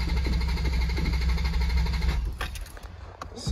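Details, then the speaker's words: 1987 Mk3 Toyota Supra, starter slightly slow: steady cranking about three turns a second for two seconds, no firing; cranks but won't start, seller said a faulty sensor prevents spark, owner plans to check spark plugs. "everything's cranking though that's a good sign um interesting I'll check spark plugs next uh see what the issue is"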